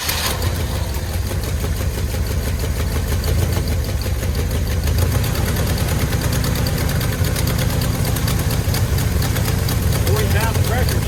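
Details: 1968 Cutlass V8 after sitting in a field 25+ years, first start with oil pressure: steady deep rumble with an even low beat, no obvious knocking; engine runs after long storage.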